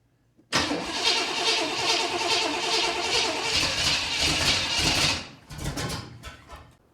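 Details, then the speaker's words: 1979 Corvette new crate motor first start on a very cold day, choke opened, fuel tank had sediment, lines not cleaned: catches but needs full throttle to start and half throttle to run, ragged and stumbling, then fades; vacuum leaks noticed unplugged; rough running engine. "okay you have to keep it Full Throttle to get it to start half throttle just to get it to chokingly run um I did just notice I have vacuum leaks"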